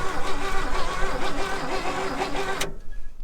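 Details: 1961 Chevy Bel Air with a 235 six-cylinder, sitting 40 years, cranked by jumping the starter wire with a screwdriver: steady, even cranking at about two turns per second, strong until it cuts off; starter spins the engine healthily.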